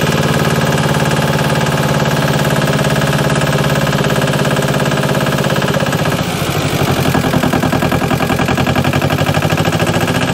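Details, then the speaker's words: JLG 40H diesel man lift just after bleeding the fuel system, warming the oil before a full service: steady diesel clatter with an even beat; normal idle. "foreign for a little bit here let all the oil get good and hot and then we're going to go ahead and do a complete service on it"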